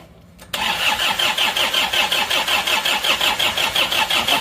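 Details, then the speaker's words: Isuzu Panther diesel, first start right after reassembly following a broken crankshaft: it catches at once, then idles with a hard, sharp clatter about three times a second. The injection pump is still at full advance and the regulating valve is set too deep, so the knock comes from over-advanced injection timing. "terlalu F soaranya agak kerang ini karena jadi ini kepasa kita nahkan full"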